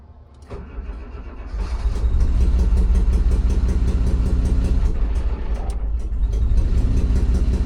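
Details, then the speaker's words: Boat's new diesel engine, first run after bleeding air from the mechanical injector lines: catches and runs rough, firing on all cylinders but still surging and wallowing; no cooling water pumped because the raw water pump was upside down. "Finally, she's firing on all pistons. She's still surging, she's still wallowing, but I have another problem."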